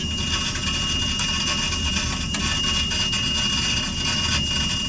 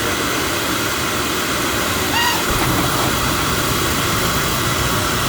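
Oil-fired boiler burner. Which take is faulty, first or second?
first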